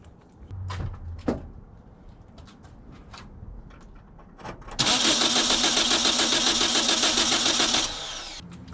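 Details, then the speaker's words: Car with intermittent no-start after tune-up: starter cranks evenly about three seconds, roughly 3.5 turns a second, never catches; not fuel, so spark or compression suspected, likely bad spark plugs. "okay well that's interesting that it didn't start looked like a surefire uh solution to the problem"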